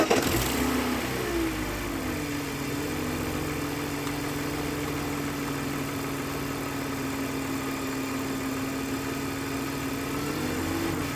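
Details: 2001 BMW 325Ci, M54B25 engine: settles from start-up flare to steady idle with even hum and faint overlying hiss, no clear knock; owner finds it a bit noisy, cause unknown.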